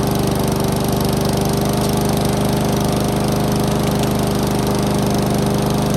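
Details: Honda lawn mower found at the dump, running after its stretched throttle cable was adjusted so the choke actuates. Strong, steady single-cylinder drone with even firing and no misses or surging. The mower engine is running healthy after the fix.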